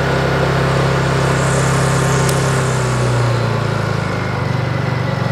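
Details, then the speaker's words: Honda EU22i inverter suitcase generator just started (choke then switched off), switched to full throttle: revs up high and steady, then eases smoothly down to a lower, even idle; healthy, normal throttle change. "jste slyšeli, že ona si přidala na plný plyn a teď už běží na ten volnoběh."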